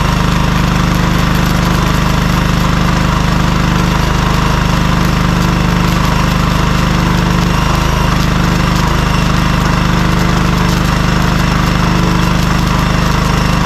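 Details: Cheap compact gas welder-generator, small single-cylinder engine drums along at a steady, even pace with no misses or knocks; inverter-type whistle noted when welding; normal healthy running.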